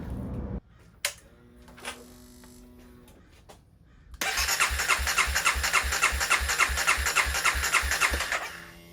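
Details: 2016 CBR300R with 1133 miles, parked 7 years, started during a coolant top-up: quiet, then it catches at once and settles into an even, steady idle with regular pulses and no misses; the battery then charges at 15.6 V.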